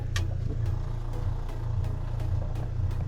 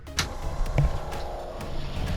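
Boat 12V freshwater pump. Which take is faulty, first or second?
first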